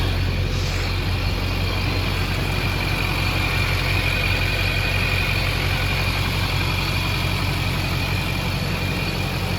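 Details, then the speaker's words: Duramax diesel truck that sat five years in a barn, with the engine harness relooomed: steady, even idle clatter with no misses or knocks. "I've drove it maybe 20 miles on it, and the thing just runs excellent. The engine sounds great."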